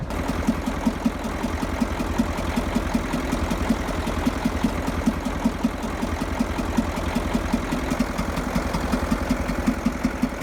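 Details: Boat's port diesel engine at idle, rough with some black smoke after a crossing, filters changed and system bled: steady idle with a sharp regular knock two to three times a second; source undetermined, air in system suspected.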